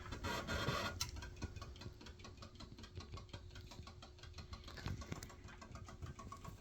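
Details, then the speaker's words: DIY pulse motor with 3D-printed glow-in-the-dark 13-magnet rotor, turned all the way up, shaft slightly wobbly: quick, fairly even chuffing clicks about four per second over a faint hum, like a locomotive; running normally at full speed. "you can kind of hear it like a locomotive almost and what is this that we're looking at this is a 13 magnet holder pulse motor rotor 3D printed"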